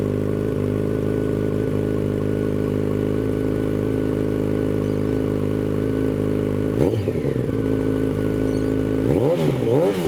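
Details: 2006 Yamaha FZ1-N, first start after fitting a Two Brothers Veil 2 slip-on exhaust: deep, even idle, then two clean blips rising and falling smoothly with no misses or rattles. Normal idle and revving.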